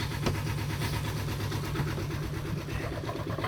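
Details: Boat inboard engine after rewiring, idling with a steady low thrum and even pulses, no knocks or squeals. Warning lights are out, the alternator is charging and the impeller still has life in it; normal idle.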